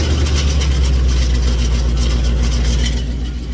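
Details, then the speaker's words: 2019 supercharged Mustang with headers, stock mufflers and suitcase resonator, started after one to two weeks on a decel burble/pop tune: fast tinny rattle over heavy idle, likely baffles inside resonator loosened by rapid heat expansion. "sounds like the baffles and the components inside of the suitcase are rattling because the ping did a lot of rapid expansion and contracting based on the d cell burble and pop tunes"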